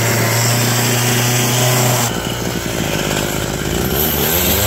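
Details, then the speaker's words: Abandoned roadside two-stroke hedge trimmer, revived with parts on hand (crusty fuel lines, disintegrating air filter addressed, mixture screws to be set with filter in), cutting a hedge: high-rev buzz bogging slightly then picking up as blades bite; noisy, vibrates, dull blades, but runs well for its age. "Well, it's noisy, it smells like a two-stroke, it vibrates a lot, it's a little dull, but you know, it's nice not having a cord behind it like my electric one."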